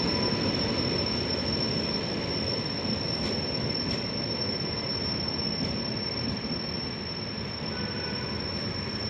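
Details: Continuous high, thin squeal at one steady pitch over the deep rumble of the Toofan Duronto passing with an Ajni-based WAP7 locomotive; cause unknown, the uploader asks what it may be.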